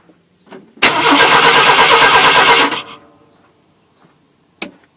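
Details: 1988 Chevy Silverado half-ton, towed in cranking with no start, fuel pump replaced about 13 months earlier: two seconds of brisk even cranking, no firing, no flash on the noid light; the fault turned out to be ignition-related.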